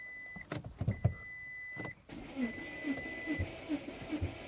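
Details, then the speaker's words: 2004 Porsche Cayenne 955 after new cam and crank sensors, low battery (about 9.5 V): dash beeps, then slow, laboured cranking about two pulses a second, no start; owner suspects bigger problems. "this um isn't sounding great really and I'm starting to think we have some rather bigger problems"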